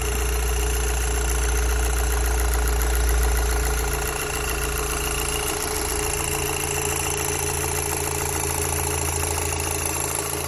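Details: Audi TTS 8J petrol engine just after starting, settling from fast to normal idle: an even, quick rattle about three times a second runs through it; engine rattle at idle, source unknown.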